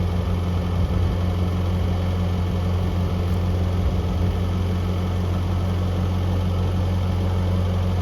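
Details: 1982 Toyota SR5 4x4 truck after replacing emissions control computer box thought to have caused crank-then-cut-off; steady low idle rumble, no stumbling, surging or dropouts over eight seconds; normal idle.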